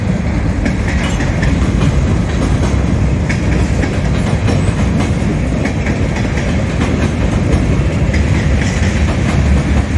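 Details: Southbound CSX freight at South Beech Street crossing, Oxford, OH, picking up speed: heavy rolling rumble broken by sharp repeated clacks as each wheelset passes; onlookers suspect a bad spot in the track.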